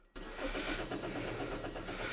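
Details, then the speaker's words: 2011 Hyundai Sonata, stalling then crank no start, battery boosted from dead: steady starter churn with no firing; brake cleaner in intake made it start briefly, pointing to no fuel; pump circuit suspected. "right the car is just cranking but it's not static"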